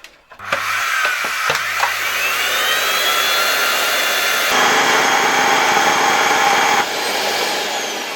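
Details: LG V-3340D vacuum cleaner, original motor with the casing removed, which had become loud over time: harsh high-pitched roar with a gritty edge and steady whine; a worn bearing is the suspected cause.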